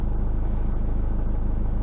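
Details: 2014 Ford Fiesta 1.6 TDCi diesel, formerly crank-no-start (P244D) after power loss under full acceleration; after refitting the exhaust gas temperature sensor and resetting its values, it idles with a steady low rumble and even pulse, no knocks or misses; normal idle.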